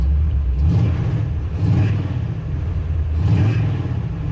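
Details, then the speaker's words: 1974 Ford F100, carbureted, heat-soaked carburetor, restarted roadside after exhaust bang and blown ignition module leads; belt squeals on startup; vacuum advance slightly draggy: deep rumble swelling with throttle blips, returning cleanly. Normal running. "All right. I think we're gonna get down the road though. She's a runner."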